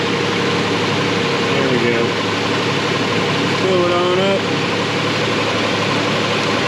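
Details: 2000 Nissan Frontier 3.3 4x4, idling while radiator is refilled with blue coolant via funnel to purge air: steady even idle, chirpy fluid noise, no knocks or misses; healthy.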